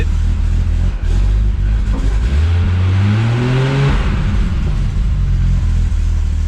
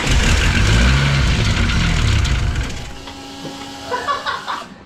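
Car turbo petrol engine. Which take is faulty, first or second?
second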